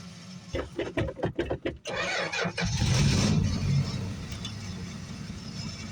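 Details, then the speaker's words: Small six-cylinder, winter cold start: quick cranking, catches on ether and flares, then sags to an uneven idle; fuel starvation, no fuel in the fuel filter, runs only a minute then quits. "It's running. It's just not getting any fuel. It's getting enough fuel to run now."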